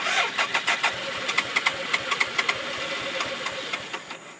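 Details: 1991 BMW K75S motorcycle that ran on full choke yesterday and died after about a minute of idling; now the battery light is on and there is a high-pitched noise. Quick cranking ticks with a brief flutter of firing, best with the choke fully closed, that fades instead of idling: catches then dies.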